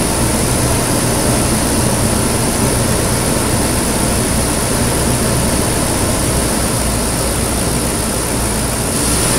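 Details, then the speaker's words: 2008 Nissan Pathfinder V8 at idle, first start after installing a Volant Powercore cold air intake and AEM Filter Minder: steady, smooth idle with a strong airy rush of air sucking past the throttle body; healthy intake noise. "ma'am you can totally hear the air sucking by the throttle body if you pop it open"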